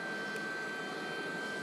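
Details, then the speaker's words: A Webasto heater running on a replacement Orbasto ECU board, after a heating run with hot water circulating: steady, smooth blower whir with a faint whistle and no combustion as it enters blow mode to cool down. Normal cool-down fan purge. "and then the heater goes into blowing modes to cool down because it thinks it's hot well it knows it's hot"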